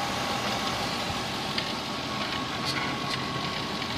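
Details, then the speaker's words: Infiniti, probably an M45, idling at 15 volts with voltage jumping, nearly all dash warning lights on and burning smell: faint steady whine seemingly from the alternator; suspected overcharging alternator. "there is like a slight noise that sounds like it's coming from the alternator and the alternator is not going to pick up"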